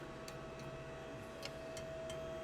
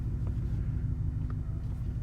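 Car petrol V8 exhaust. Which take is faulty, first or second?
first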